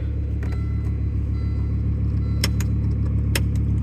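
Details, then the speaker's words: Volvo 850 R manual, driving after timing belt and repairs: low rattly chatter about three to four beats a second over the deep idle rumble when the clutch is released, silent with clutch pressed; single mass flywheel clutch chatter, considered normal. "When the clutch is in, it's silent. When you release the clutch, you can hear the chatter. Kind of the nature of the beast."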